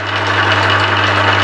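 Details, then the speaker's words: Used Emco Maximat V10-P lathe under power traverse: steady motor hum and gear whirr as the saddle moves, then a light knock as the feed clutch trips out cleanly at the end stop, avoiding a crash. "coming up against en stop goes in the net clutch and actually stopped it avoids any crashing and banging about"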